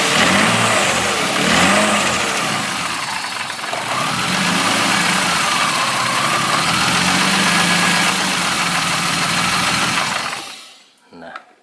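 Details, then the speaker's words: BMW E36 petrol engine after a fuel pump relay fault, relay refitted and treated as normal: starts normally, runs steadily and rises and falls cleanly with throttle blips, no miss or hesitation. "Kita starter sudah nyala normal. Coba kita starter lagi. Nah, sudah nyala normal ya. Kita gas juga sudah mau."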